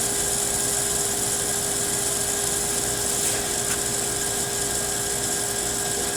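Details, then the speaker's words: Pool booster pump, possibly feeding the vacuum and waterfall, just switched on: constant whirring drone with a fixed mid-pitched tone over loud hiss. Pump motor is noisy, cause not pinned down. "Dad. I can hear the pump making the noise. It has a motor."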